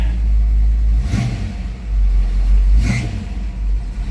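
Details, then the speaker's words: 1967 Plymouth Barracuda with 340 V8 and newly installed Summit headers-back exhaust, carb not yet tuned: deep, even V8 rumble with two throttle blips, no knocking or ticking; engine sounds good with good oil pressure, normal running. "engine sounds good and everything. Nice, good oil pressure. No issues there."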